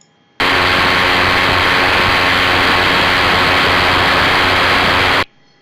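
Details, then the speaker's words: Recorded ultrasound file of a badly damaged rolling bearing played back in UE Spectralyzer software: dense, harsh crackling hiss. "nos va a aparecer el efecto y podremos escuchar cómo suena un rodamiento en mal estado"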